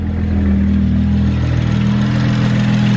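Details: BMW 335i (E92) after misfire codes were cleared, suspected faulty coil packs: even, steady idle with a smooth low drone and no stumbles or skipped beats; idles normally for now.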